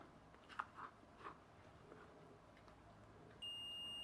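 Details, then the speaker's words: Multimeter on the fuse of a failed 25 m extension-reel RCD plug that sparked and smoked: faint clicks then steady continuity beep, fuse intact, so the fault lies elsewhere. "yep fuse is okay so it's not just the fuses blown"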